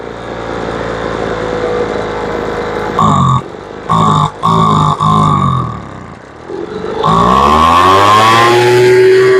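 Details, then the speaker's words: Poulan Pro two-stroke blower that would not start after sitting, with a suspected carburetor air leak. Its L screw is being adjusted in 1/8-turn steps. Short throttle blips, then the revs climb lazily before reaching a high scream, slow to come up. "The motor screams. A little slow coming up. There you go. That sounds pretty good. She still comes up a little slow."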